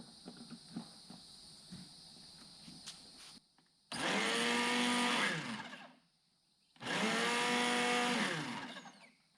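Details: Blender powered from a BLUETTI EB70 power station, testing startup surge: two short bursts winding up quickly to an even high whir then spinning down; runs normally with no issues.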